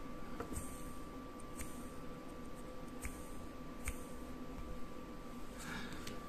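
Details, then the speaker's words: Small DC blower motor after disassembly, cleaning and light brush lubrication: even low hum with a steady thin tone, no squeal or scraping. It now spins freely and silently where it was squeaking or stuck before. "Now it spinns freely and without any noises!"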